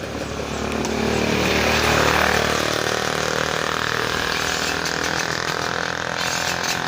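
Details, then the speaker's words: Yamaha Mio M3 scooter, hard starting, white smoke, very weak compression: just started, idles ragged and wavering and dies when throttle released; mechanic suspects worn piston rings. "dan motornya pun tidak bisa langsung pada saat gasnya dilepas motornya langsung mati karena kompresinya sangat lemah"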